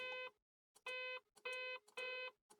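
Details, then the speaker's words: Acorn Archimedes A420/1 with a leaky-battery corrosion history, just converted to 120V: quiet, identical mid-pitched beeps about a third of a second each, every half second. The "loud beep" is barely audible and all sounds come out the same; the owner suspects the sound output is faulty. "If you happen to know more about the Archimedes, should this be so quiet on loud beep when I pick like that? I could barely hear it. [Music] I mean, it's audible, but it's certainly not very loud."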